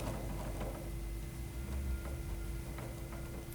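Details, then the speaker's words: Schwinn AC Performance Plus / Carbon Blue indoor bike: quiet whir with sharp irregular clicks about once a second as the crank turns; pedal loose in the crank arm with threads exposed, fixed by tightening with a pedal wrench. "secondly when the pedal is actually loose you can see here the threads are exposed and just listen"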